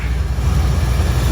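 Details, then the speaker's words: 1977 Mustang Cobra II with Hooker headers and air-fuel gauge, bought as a blown motor: deep, even idle rumble with steady pulse, no misses or ticks; owner says idle's about perfect, a healthy warm idle. "Like, listen to this. Crazy. Has a little air fuel gauge over here. Idle's about perfect."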